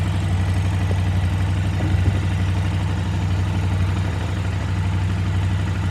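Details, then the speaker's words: KTM 950 V-twin during carburetor synchronization, rear carb adjusted to match a reading of about 10: deep, even idle thump with a smooth, steady pulse and no stumbling; the carbs sound well balanced. "you'll hear how the bike kind of balanced out as i got close to 10 so we'll see what the front one looks like now"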